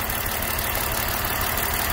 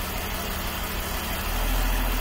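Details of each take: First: BMW E39 530i Touring at idle with code P1343: an uneven, lumpy idle with an irregular stumble. After the faulty coil was swapped from cylinder 1 to 2, the misfire followed it to cylinder 2 (smooth-running value near 10), confirming a failed ignition coil. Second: BMW E39 530i Touring daily driver after fixing a cylinder misfire (fault P1343, fuel cut to cylinder) traced to a faulty ignition coil by swapping coils: steady, even idle with a low smooth hum and no stumble, all cylinders firing cleanly again.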